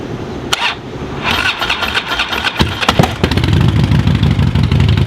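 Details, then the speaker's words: 2007 Harley-Davidson Road King with shorty exhausts, just over 44,000 miles, recently serviced: starter cranks, engine catches and settles into a loping, even V-twin idle with no knocks or misses; normal start and idle. "She's a great runner, recently serviced, and she's ready for the road."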